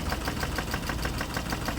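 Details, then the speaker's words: Dodge Charger run 50k miles without oil changes, sandy oil, poorly rebuilt engine: idling petrol engine with a heavy low roar and a steady, regular knock from the underside of the engine. Cause suspected, unconfirmed. "still knocking but it sounds you hear the engine is definitely still not loud it's got a loud roar to IT project definitely coming from the underside of the engine not a good sign"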